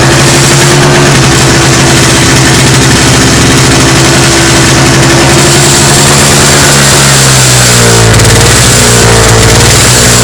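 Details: Toro CCR 2450 two-stroke snowblower after repair, on fresh 40:1 mix with stabilizer (spec 50:1); settles into steady, even run, then shifts speed smoothly: fixed, normal running.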